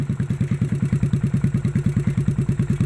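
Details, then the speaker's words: 1957 Bolens tractor engine, fuel pump bypassed with a gravity-fed tank, governor not reaching idle: a steady single-cylinder thump at about six beats a second keeps running when the kill button is pressed. The kill switch is faulty. "the kill switch don't work okay i'll just block off the carve then i'm gonna take this kill switch apart"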